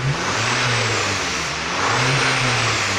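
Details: Audi exhaust after the original pipe was welded: steady, even engine note rising with revs, no rasp or blowing puff from the pipe; exhaust sounds sealed and healthy.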